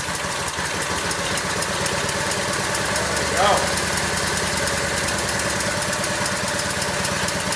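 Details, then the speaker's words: Craftsman lawn tractor, small single-cylinder engine, first start in over a year after choke and battery jump-start: chugs at a fairly steady idle with a light even patter and no knocking. Normal idle, though it sputtered and may be low on gas. "There it is. Idling pretty good. Yeah, I'm happy. This thing hasn't run in a long time."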